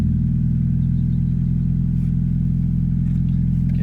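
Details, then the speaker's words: 1991 Mazda Miata, 140k miles, many aftermarket parts, first start after a dead battery: steady even low rumble idling in neutral with a smooth regular firing beat, no knocks or misses; engine sounds healthy. "neutral here whoo I like that sound that is not too bad"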